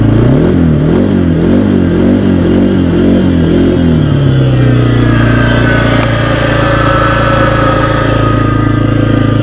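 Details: 2016 Kawasaki Brute Force 300 revving then idling: rough, uneven metallic grinding clatter from the left side by the CVT belt, owner hoped it was the belt; actually a failing bearing behind the clutch pack that would have damaged the transmission.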